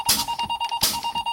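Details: Truck air brake check, fanning the brake pedal to bleed air: steady electronic buzz pulsing about five times a second as the low air warning sounds, on since about 70 PSI, above the required 60; working correctly.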